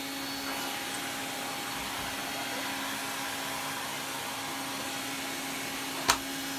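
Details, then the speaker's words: Electrolux 304 cylinder vacuum cleaner after cleanup, with much more suction; steady rushing airflow with a constant motor hum and no rattles or pitch wander, normal running. "It really does have a lot more suction to it. Oh, I love that sound."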